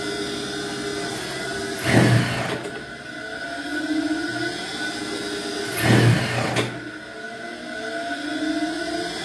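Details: High-speed sewing machine that runs heavy and stiff, slowing the motor when the pedal is pressed, still sluggish after oiling and before cleaning dust from the needle-bar area: low motor hum swells and drags with heavy surges about every four seconds.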